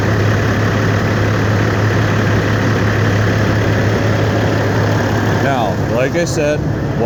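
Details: 2007 Peterbilt 386 semi with a rebuilt Cat 6NZ diesel, fresh in-frame overhaul with no miles on it and 1.6 million miles on the truck: loud, even diesel clatter at steady idle with a firm low drone, no misses or knocks; normal healthy idle.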